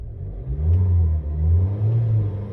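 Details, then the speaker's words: MG ZS revved before spark plug replacement: shaky, uneven roar as revs climb, shaking and jerking/stuttering felt around 3,000 rpm; suspected spark plug misfire, engine stutter when revving. "Ayun, nanginginig talaga siya. Nanginginig siya pagdating sa 3,000 RPM. So may jerking siya o yung stuttering."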